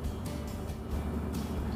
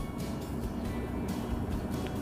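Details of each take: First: Volvo FMX 440 coal-mine truck diesel in instrument-panel idle adjustment mode (brake pedal held, button pressed): deep, slow, even rumble as engine speed drops to 500 rpm, ready to be raised in 10 rpm steps to 600 rpm. Idle lowered for adjustment. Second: Volvo FMX 440 truck diesel at low idle set to 600 rpm via instrument panel: steady, even low rumble with no surging or misses, music behind; normal idle.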